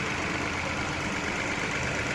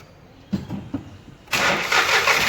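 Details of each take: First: 2018 Ford EcoSport 1.5 three-cylinder Dragon engine, first start after correcting a wrong oil change that caused a top-end noise: steady, even idle hum with no knocks or ticks; problem resolved, normal idle. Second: 2018 Ford EcoSport 1.5 three-cylinder Dragon engine, wrong oil change: starts into a steady idle with quick light ticking from the top end at the intake camshaft, intake cam solenoid clogged with debris.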